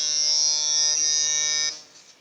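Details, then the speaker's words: Two-transistor BJT positive-feedback tone generator for a burglar alarm driving a speaker in place of the LED: clean, steady high-pitched tone for about 1.5 s, then cuts off; pitch somewhat high because speaker impedance is too low; oscillator working normally. "Initially the frequency sounded a bit high because the impedance of the speaker is a bit too low."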